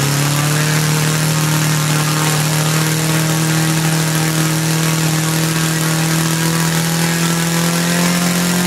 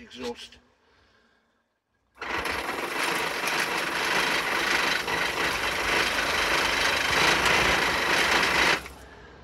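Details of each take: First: Laser four-stroke model engine from a Flair DR1, earlier no compression and would not start; after heat was applied and the carb, which had lost its factory settings, was reset, it runs cleanly: strong even buzz creeping slightly higher as it warms, needle not leaned out. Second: Laser four-stroke model engine, Flair DR1, low compression, fuel drawn through, glow plug powered: rapid, light, even starter whirring for about six seconds, never firing; cranks but won't start.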